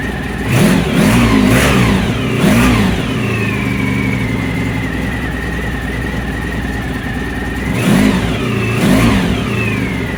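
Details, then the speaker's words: 1997 Honda Pan European ST1100 ABS, started stone cold during refurbishment: picks up cleanly on several blips and drops back to an even idle; runs smooth, with a slight exhaust blow from unclamped silencers. "But as you can hear, it starts, it runs, it sounds quite smooth."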